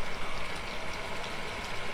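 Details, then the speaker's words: Electric pump on a slow-recharging dug well, switching on once the well refills: quiet steady hum under gurgling, rushing water as it draws and moves flow, with no grinding or rattle. Normal running. "Nah ini ya, jadi sudah ada air, dia akan menyala seperti itu. Nah kemudian si pompa air ini mengalir gitu ya, mengalir."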